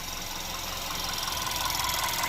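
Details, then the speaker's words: Audi A3 Cabrio 1.2 TFSI (CBZ), 2010, ~99,640 km, idling right after a second timing chain replacement with fresh oil: light, fast, even injector ticking over a quiet steady idle, no chain rattle; runs better as everything oils up, still warming. "no już chodzi Lepiej także z każdym każdą minutą silnik będzie chodził lepiej bo tak jak mówię to wszystko jest świeże wszystko musi się że tak powiem do oliwić"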